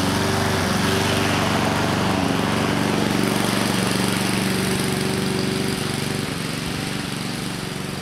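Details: 2014 Husqvarna HU700F self-propelled push mower, Honda GCV160 single-cylinder engine, after a carb clean: smooth, even governed speed with steady exhaust beat, no misses or surging; running healthy.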